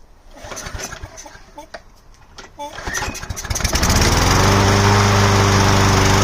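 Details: Craftsman Precision lawnmower, test-run before refitting the air filter casing. Several pull-cord tugs, then it catches and holds a steady, even drone; running properly.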